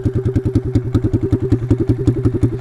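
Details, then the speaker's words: Taotao DB17 125 pit bike riding: very loud raw unmuffled popping bark, about ten pulses a second, after the exhaust pipe came off, effectively straight-piped. "oh huh that's probably why yeah i don't know if you can see this we kind of just straight piped our bike"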